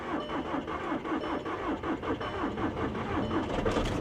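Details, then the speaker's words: Dodge Challenger Scat Pack Wide Body at 17,640 miles, said to be a diesel that sat for months: a long steady starter churn of about eighty pulses a minute before it catches; it had lost its fuel prime. "there it is she lost her prime that happens when a diesel sits for an extended period of time it's probably been sitting here for months guys took a little while to get its prime back but she's a runner"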